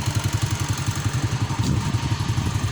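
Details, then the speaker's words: Honda Astrea motorcycle at idle: steady engine beat with a fast, even buzzing rattle about eight times a second; the seat is vibrating in sympathy. "Atau ada suara getaran. Oh ini joknya bergetar. Ini dia. Ini joknya bergetar. Suaranya jelas banget."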